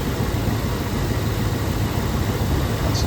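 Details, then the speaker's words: 1992 Chevy C1500 with the 350 TBI V8 at 260,000 miles, with the air filter lid flipped: a smooth, steady idle with no surging. Before the repair it surged and stalled on cold starts; replacing the fuel injectors and regulator fixed it. "So fires up. Runs really smooth now. Doesn't surge anymore."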